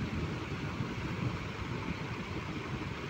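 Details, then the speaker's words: Home-built rewound table fan coil, freshly fitted into the fan, switched on and running at good speed: steady even rush of air with a low smooth hum, no ticking or scraping; normal fan running. "দেখুন বন্ধুরা কীরকম স্পিডে ঘুরছে, আপনারা শুধু দেখে নিন।"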